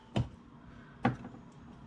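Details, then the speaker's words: 2005 36V EZGO PDS cart with Navitas TSX 3.0 600A controller and HD solenoid, pedal pressed in forward: two sharp clicks with no motor drive. Reverse works; app loses communication; motor suspected, not confirmed. "you can hear the solenoid clicking let's see that battery voltage"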